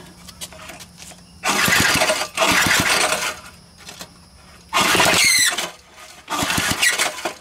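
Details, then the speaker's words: Old Briggs & Stratton small engine cranked by four rope pulls without firing, one pull carrying a high sliding squeal from the recoil starter, judged not a big deal. "all right that's just the uh recoil that's not a big deal okay"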